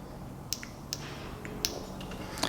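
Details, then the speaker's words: New Toyota VSV 90910-12100 for EGR on 1998 RAV4 3S-FE (code P0401), bench-tested with power applied: crisp single clicks about every half second in a quiet room; the old valve was open and silent, the new one works. "So this valve, the brand new one, makes that little click, and we know it's working correctly."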